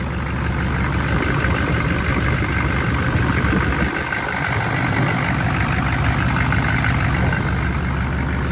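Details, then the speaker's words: Chevy 6.5 turbo diesel running again after sitting 5 years: loud, steady diesel clatter at even idle, no misses or knocks; slight blow-by noted but minimal, running healthy. "still fucking sounds pretty good. A little bit of blow by, but not very much. You know, fucking mint."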